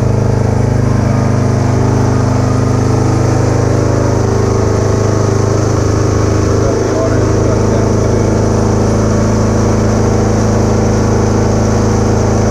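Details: Kubota A3500 generator, about 10 hours use, consumes some oil, after carburetor cleaning, new gaskets, air filter and shutoff valve: steady even engine drone with no misses or knocks, speed holding constant; runs properly.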